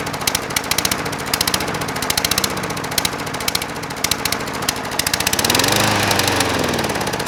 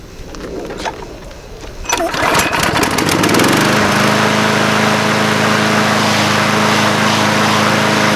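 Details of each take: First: Craftsman 22" mower with a 190cc Briggs & Stratton Platinum engine, oil level correct: uneven popping, surging low idle that sounds fuel-starved; running lean, later traced to the carburetor bowl. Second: Craftsman 22" mower with Briggs & Stratton 190cc Platinum engine, after fixing lean running at the carburetor: a few pulls, then catches and settles into a steady, even run with no surging or hunting; normal running.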